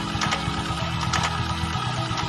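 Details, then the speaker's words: Honda Vario 110 with freshly assembled, upgraded CVT; revving gives a steady metallic humming, buzzing sound over a pulsing drive, typical of new clutch lining not yet bedded in; CVT whine. "digas ada bunyi dengungan atau ya pokoknya rada-rada berisik kayak seng-seng gitu, biasanya belum ngeplak sama kampasnya."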